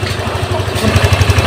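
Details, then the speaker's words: Honda Vario 150 fuel-injected scooter with high fuel use and fouled plugs, after TPS and idle checks with a scanner: even idle pulses about eight a second with no hunting or stumble; a normal idle. "langsamnya dia enak terdengar enak ya terdengar enak ya teman-teman"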